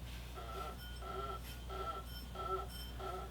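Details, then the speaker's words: Mercedes C36 AMG M104 water pump pulley rocked back and forth by hand: dry squeaky rasp about every half second, pulley has roughly 1–2 mm of play it shouldn't have; worn water pump bearing, pump being replaced. "the pulley itself and then walking it back and forth so it's definitely not supposed to have that play in it it's probably a millimeter or two and uh that noise shouldn't sound like that"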